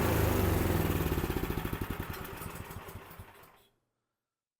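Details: Cub Cadet 3X 26-inch three-stage snow blower, whose auger had stopped working in heavy snow. After drive belt replacement it is started with electric start, throttle, primer and choke. Single-cylinder engine putters in an even beat, then winds down and stops cleanly; runs healthy.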